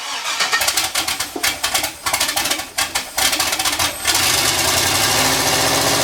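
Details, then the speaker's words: LS turbo Miata kart, first start: about four seconds of uneven cranking, then it catches into a loud, busy idle; it runs but not cleanly yet. "cool it runs so it's a few days later corey stopped by loaded up a tune uh it sort of worked didn't sort of work"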